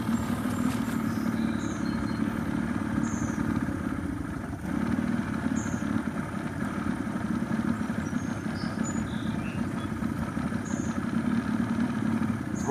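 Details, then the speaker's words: Boat engine that won't start or stay running: steady run with a fairly even beat and a slight sag midway, staying running only on choke; owner suspects it isn't pulling fuel from the tank well enough. "running whenever I push the choke in. Maybe it'll stay running now. It's like it's not pulling fuel from the tank well enough."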